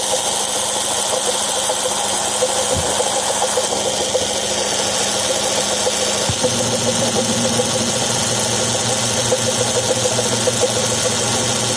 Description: The noise is caused by a malfunctioning bearing of the air conditioner compressor.